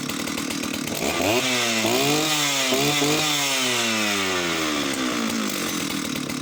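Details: Oleo Mac 272 chainsaw, two-stroke, final test run: revs blipped up and down cleanly with no stumble. It runs well, with an occasional misfire the owner attributes to lack of use.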